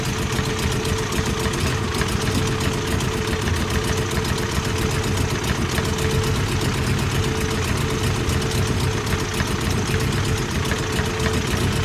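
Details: Toyota 22R four-cylinder petrol engine with a rough idle: uneven, lumpy chug with a wavering beat; timing and distributor adjustment being checked.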